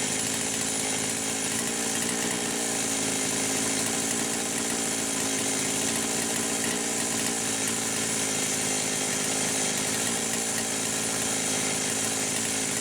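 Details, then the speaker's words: Poulan Pro 525 chainsaw (essentially a Pioneer P52) on a test run with no bar and no load. Its governed carb audibly kicks in at high revs, holding top speed back so it blubbers. Mixture is about 1⅛ turns open and it is suspected to be slightly lean. "Alright, yeah. I can hear the carburetor governor kicking in. I think you guys can hear it too."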